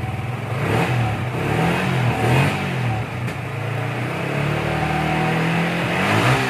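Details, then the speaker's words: Yamaha Vixion Advance single-cylinder after repair. It had severe valvetrain clatter because oil was not reaching the head, damaging the rocker shaft seats and valve caps, and a block replacement was avoided. Revs and settles smoothly with no ticking: healthy. "oke Guys ini suara mesinnya kembali adem banget ya"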